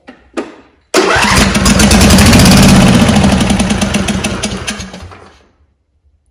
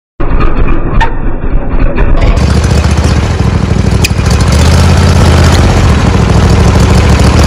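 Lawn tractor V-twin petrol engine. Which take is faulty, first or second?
second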